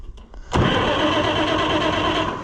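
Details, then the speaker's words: Oliver 1655 tractor after starter replacement: cranks noticeably better, then the engine catches sharply and settles into a steady strong run with no grinding or dragging; normal starting. "Yeah, I like the way that cranks much better."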